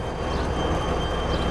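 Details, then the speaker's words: Old Dixie Narco soda machine, compressor relay disconnected so only fans run, testing for a short: even constant whir with faint high whine, no rubbing or rattle; condenser and evaporator fans working without blowing the circuit. "we got the fan going so now we have the condenser fan and the evaporator fan working without a circuit blowing"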